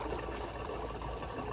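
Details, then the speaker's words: Hayward pool pump stopped and strainer basket lid being opened for cleaning: soft watery gurgling and bubbling as air comes through the strainer housing, which is normal. "You can see all the air coming through, which is completely normal for it to be doing that."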